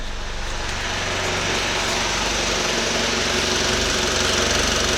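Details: 2012 Mitsubishi Outlander 2.2 DI-D diesel with intermittent check-engine light and code P2413. The EGR valve was removed and cleaned and the throttle flap is off. Idle is rough, uneven and lumpy, about four pulses a second, with clattery knock on top. Cause unconfirmed; owner suspects the EGR actuator or ECU firmware.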